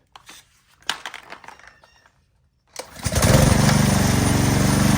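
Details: DeWalt 3300 PSI gas pressure washer with Honda GCV200 engine, a few months old, started for the soap reservoir and soap tip. A couple of pull-cord rattles, then it catches at once and runs steady and even; healthy easy start.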